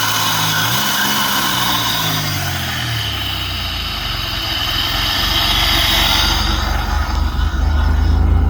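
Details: 2000 Pontiac Grand Prix GTP, not run in a few years, jump-started; needs a transmission. Engine catches, revs briefly sweep up and back down, then steadies into an even, smooth idle: normal idle.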